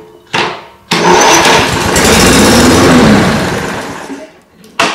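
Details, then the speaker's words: Brand-new Toro 21464 Personal Pace electric-start mower with Briggs & Stratton engine, repeatedly blowing the starter fuse: short cranking bursts that stop dead, locking up on the compression stroke; decompression system suspected, unconfirmed. "there see again there see every time you hear that that's a fuse going"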